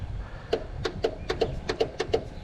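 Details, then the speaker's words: No-start lawn tractor with a good 12-volt battery: about nine sharp irregular single clicks with no cranking; the solenoid engages but the starter doesn't turn, a stuck starter is suspected. "I kind of hear the solenoid engaging it's got a good battery"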